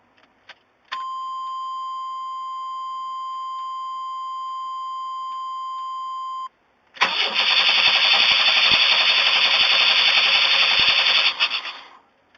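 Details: 1994 Chevy Astro, throttle-body injection, after Seafoam, engine recently run: long steady tone then several seconds of fast even starter whirring with no firing; intermittently dies and won't restart; crank no start.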